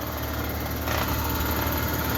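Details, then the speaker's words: 2017 Carrier Sentry 3-ton heat pump outdoor unit making a loud abnormal noise for the first time, a rough rattling low drone with uneven buzz; owner suspects the compressor, possibly low on refrigerant, cause unconfirmed. "I'm really not sure what it is, but my guess is the compressor."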